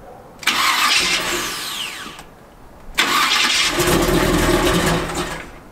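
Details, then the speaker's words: Chevy C10 truck V8, cold start on a freezing day right after fixing shorted close-together connections: two cranks each catching quickly, then steady idle without misfires or stumbling; running much better, tachometer still faulty. "It's acting a whole lot better."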